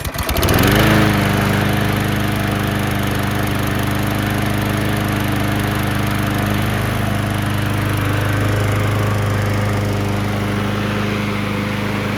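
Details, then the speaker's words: Murray push mower with Briggs engine after carburetor replacement (missing gasket found, likely the starting issue), final start outside: catches after a brief crank, settles into a steady, even run with no misses or surging; normal running. "Kind of had a feeling there was something going on with the carburetor. I'm glad it was something simple"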